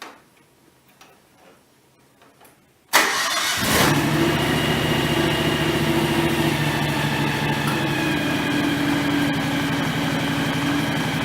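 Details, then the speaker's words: John Deere X738 lawn tractor started after 50-hour service draining and refilling the shared front axle/transmission/hydraulic/steering oil: engine catches at once, settles to even steady idle, no whine; runs fine, though steering seems a little stiff. "I don't know. It sounds like it runs fine. Doesn't sound like it's anything's whining or anything like that."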